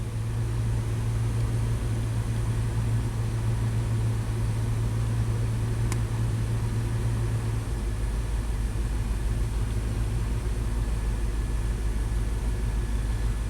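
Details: 2002 Dodge Dakota 4.7 L V8 after fixing erratic idle and rough shifting with no parts (terminals reseated): deep even V8 idle, steady, no hunting or surging; min TPS 0.53, IAC 27 steps, returns after throttle snaps.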